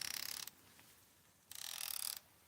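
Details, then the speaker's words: Expensive baitcasting reel's drag clicker: two short runs of fast, fine, high ticking, soft and muffled rather than crisp; owner finds it too quiet when setting drag, cause not confirmed. "But listen to this drag clicker. You've heard the other ones, if you can."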